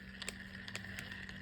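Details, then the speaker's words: Mitchell Neptune Waterproof spinning reel after loosening an overtightened rotor nut: even, light whirr with a steady faint hum as the rotor turns; the tick-tick-tock noise is gone and the reel runs smoothly. "We do not. The tick-tick-tock is gone."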